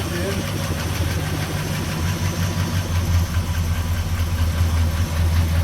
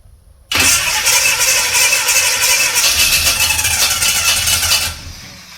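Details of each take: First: 1969 Chevy C10 with big-block 396 V8, just restarted after sitting 20+ years, timing set, ignition rewired, new carburetor: deep, even V8 burble at idle, smooth with no stumble, miss or knock, running healthy. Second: 1969 Chevrolet C10 with a 396 big block that had sat for roughly 20 to 28 years. About four seconds of steady starter churning at roughly three beats a second, with no firing or catch. Cranks but won't start; they suspect the timing is off, possibly too advanced.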